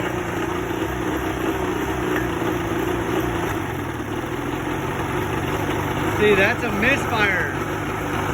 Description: 1986 evinrude 50hp outboard misfire at idle and shakey idle